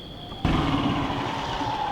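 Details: Stage 5 Predator 212 single-cylinder engine in a Monster Moto racing minibike, revving hard. A sharp gunshot-like crack near its limit, then a hard high-pitched run continues; a bang at high rpm, cause not confirmed.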